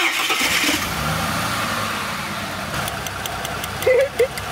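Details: Ford Falcon on LPG, left sitting two years: starter cranks evenly without firing during a compression test after coils were swapped; coil found fine, compressions uneven between cylinders and possibly low.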